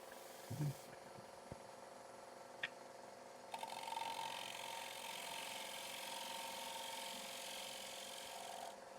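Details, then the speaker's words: Turning a wet maple bowl blank about 10 in diameter on a Powermatic lathe: steady scraping cut with a thin high whine as the gouge hangs too far out past the rest and bounces; tool chatter. "Now you hear that whining starting to get a little bit far out on the um on the tool. And so the the tool is bouncing around a little bit."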